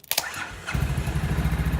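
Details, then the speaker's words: ATV/UTV hot-wired without a key by jumping the starter solenoid, key switch suspected bad: short crank, then the single-cylinder fires into an even idle thump. Normal start. "start your four-wheeler now you don't even have to have a key to start this UTP"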